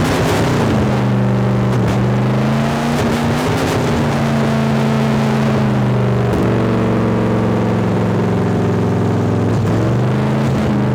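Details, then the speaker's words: 1972 Chevrolet Chevelle V8 rescued from farm field, first start: roars at steady high speed and never drops to idle, throttle stuck open and not returning; fuel pump issue also pending. "well the throttle stuck as you can probably tell anyway it runs as you guys could probably tell at home the throttle stuck which is not good"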